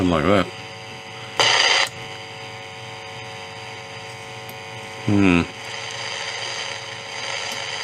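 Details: Philips 206A valve radio, built in Holland around 1941–42, in very poor condition: signal tracer on the audio stage gives steady low mains hum with loud crackling bursts as the probe touches; amplifier not passing signal, oscillator also suspected dead.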